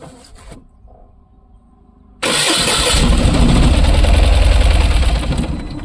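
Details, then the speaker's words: Tata Ace Gold BS6 petrol pickup, after refitting the tank: cranks, fires and runs loud a few seconds, then fades and dies; starts then stalls, scan shows engine management DTC for cylinder 2. "तो यहाँ पर scan करेंगे, गाड़ी start होके बंद हो रही है। इंजन मैनेजमेंट में सिस्टम में फॉल्ट एक अभी एक चल रहा है। DTC report, cylinder to"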